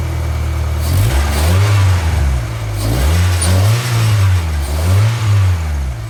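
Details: 2G Mitsubishi Eclipse running again after a long crank-no-start and a piston ring replacement for low cylinder-three compression: three clean rev blips climb and drop, settling back to an even idle each time. It runs smoothly and healthily.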